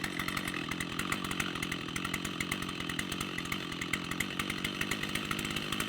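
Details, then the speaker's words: Rebuilt Stihl 088 chainsaw idling with crisp rapid two-stroke beat; pressing trigger without opening throttle raises RPM and leans it out, revealing air leak past worn throttle shaft in aluminium carburetor bore. "Every time you touch that throttle, you apply load to the throttle shaft, and that, in turn, rubs against the aluminium bore of the carburetor that it rides in."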